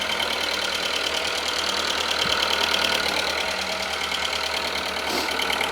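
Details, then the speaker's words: Audi A2 1.4 16V (AUA) first start after a timing belt and burst water pump replacement: even, steady idle with a light, quick valvetrain tick and no misses or knocks; running smoothly. "running it's smooth sounds a lot better than it did before oh my goodness me wonderful wonderful wonderful sounds absolutely perfect"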